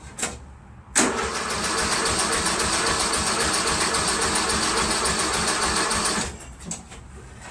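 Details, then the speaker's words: Craftsman Trac Plus 23-inch dual-stage snowblower, 5 hp Tecumseh, cold first start of winter with year-old gas: starter churns steadily about five seconds, never fires; tank nearly empty, no fuel, oil at add line. "first time in a while hasn't just started up you know there's no gas just a glaze of a little puddle there of gas"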